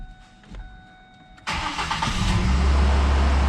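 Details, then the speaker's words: 2005 Ford Ranger 2.3 four-cylinder after valve cover gasket, intake gasket, spark plug and plug wire replacement, fuel line reconnected: quiet, then starter catches and engine fires cleanly into a smooth, even idle, no check engine light; healthy start. "Oh, it started. Hey, look at that, no check engine light on either."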